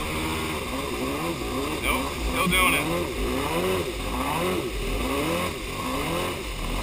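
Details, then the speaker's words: Yamaha Superjet twin jet ski, started after refuelling, fresh gas, even compression, both plugs look okay: lumpy idle about 77 beats per minute, running on one cylinder; owner suspects ignition or plug wires. "It really sounds like it's only firing on one cylinder, but both plugs looked okay."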